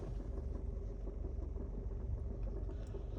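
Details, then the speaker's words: 2018 Nissan Altima SR at idle: low rumble with loose irregular rattle-knock once or twice a second heard from passenger side under glovebox, worse in reverse; cause is worn passenger-side engine mount. "Like when the car is idling and also when you're driving, you hear like uh you're already knocking and rattling sound coming out from that side."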